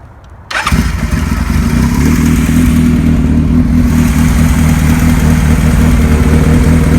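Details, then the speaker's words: 1975 Kawasaki Z1 900 vintage drag-style project bike, 0 miles, just restored, new battery cables, battery at 12.7 V: catches instantly and settles into a loud, even idle through an open header with no engine noise or smoke; healthy. "The motor has no noise whatsoever. bike doesn't appear to smoke. The header's kind of loud"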